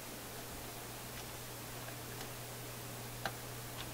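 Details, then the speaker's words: Philips F3C 30A tube console stereo receiver, sections de-energized to isolate crackle: faint irregular ticks and a sharper pop over steady hum and hiss in the speakers; intermittent speaker clicking from bad connection. "Oh, I can hear a little tiny tick in the speakers amongst all the other noise going on in my house right now."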